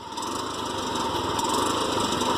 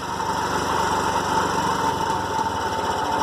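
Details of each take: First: TVS King: bad engine noise, a raspy, hollow hissing roar over a steady small-engine idle from an intake air leak at the air filter hose; fixed by replacing the hose. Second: TVS King three-wheeler with a bad engine noise, addressed by air filter hose replacement: even putter at roughly four beats a second with a light whistle early on; engine runs smooth and healthy.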